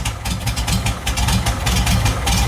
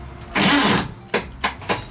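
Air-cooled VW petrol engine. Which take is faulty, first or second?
second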